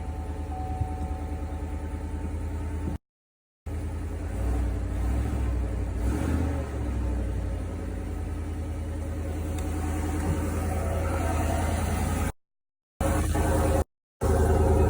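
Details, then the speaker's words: 2020 Chevy Silverado Trail Boss 5.3 V8 after replacing OEM air filter with K&N high-flow filter: steady even low idle rumble, no knocks or misses, a little deeper tone than before; normal idle. "Actually does have a little deeper tone to it."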